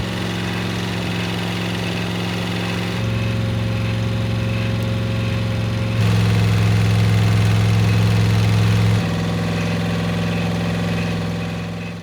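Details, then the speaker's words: Freshly rebuilt 305 V8 in 1985 IROC Camaro, after 20-minute break-in while idle speeds are adjusted: smooth even idle with steady low hum, stepping slightly up and down. Normal idle, sounds great. "he ran it through a 20-minute Breakin period and then adjusted the idle speeds everything sounded great"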